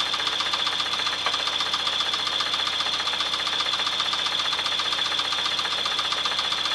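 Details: 1996 Chevrolet S10 4x2, 2.2L I4 MPI, 146,300 miles, idling: sharp metallic ticking knock about two and a half per second over busy engine; knock source undetermined, engine for sale for parts.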